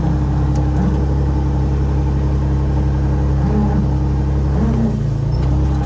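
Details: Nissan 350Z that sat flooded over a year, after rewiring and reconnecting a loose, unclipped plug: deep, even exhaust note rising and falling smoothly with each throttle blip, no misses or knocks; normal revving.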